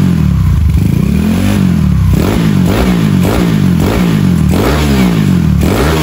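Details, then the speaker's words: Freshly rebuilt carbureted Honda Beat 130cc engine with standard valves and new parts: repeated throttle blips climb very quickly and fall back smoothly, no clatter or misfire; revs freely and sounds healthy. "Oke, kalian sudah dengar sendiri untuk gas-gasannya, respon-responnya seperti apa. RPM-nya cepat banget naik."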